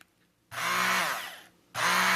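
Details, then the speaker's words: Braun 200 W hand mixer running: a steady buzzy whir in two short bursts with no squeak. "listen to the motor. The motor is quite quiet. So it's not the motor."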